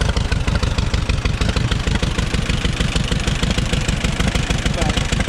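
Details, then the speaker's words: Auction-bought Allis-Chalmers WD-45 gas-engine tractor: slow, even chuffing at about three beats a second, unhurried, with no knocks or misses. Normal idle. "his burbles wave actually runs pretty good you can't hear a whole lot"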